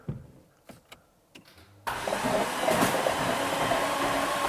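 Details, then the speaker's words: Flood-damaged 2018 Jaguar F-Type SVR, 5.0 supercharged, a Category N write-off, after the broken 400 A starter fuse was bridged. With the spark plugs out, after a few clicks and bumps the starter spins the engine freely and evenly; cranking sounds normal. "oh it does turn over it turns over [Applause] [Applause] oh oh that's really interesting it just turns over"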